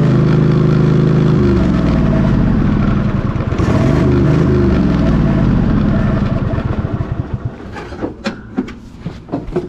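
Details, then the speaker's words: Craftsman GT3000 lawn tractor, 23 hp Kohler Pro engine, after switch jumped: catches and runs steadily with even beat, brief rev, then winds down; runs normally, mower deck not working. "I call that a win. $125 for this tractor, and it runs and it drives, it does the things minus mowing, but other than that, something that has good tires and wheels that hold air, a good running 23 horsepower Kohler Pro motor, a good battery."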